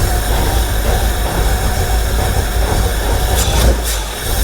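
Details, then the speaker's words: 1970 Ford F250 dually, 302 V8 after top-end rebuild: low, heavy idle loses rhythm and sags, stumbling; owner adjusting timing, suspects plug wires or fuel starvation, unconfirmed. "See there? How it's kind of blobbing a little bit?"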